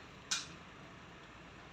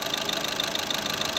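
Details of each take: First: Skoda Rapid diesel right after its injectors were replaced: the engine cranks and catches, then settles into a rattly idle with a steady tapping knock; the new injectors need their minimum-quantity adaptation run. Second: Skoda Rapid diesel after injector replacement and minimum quantity adaptation: steady, even idle clatter with RPM fully stable and no misses; normal idle.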